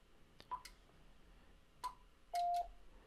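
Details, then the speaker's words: Icom IC-7300 internal auto antenna tuner near the top of the band with SWR not quite below 3:1: button clicks, two short high beeps, then one longer lower tone, no relay chatter; the rig keyed briefly and the tune indicator stayed off. "you notice it keyed very briefly but the tune indicator is not on and I'll try it again"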